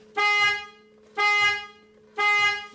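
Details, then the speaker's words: Mercedes/Dodge Sprinter with key on, after replacing the faulty horn (the circuit tested good): three short, bright, clean horn blasts about a second apart. The horn now works as it should. "so the horn is now working this is fixed"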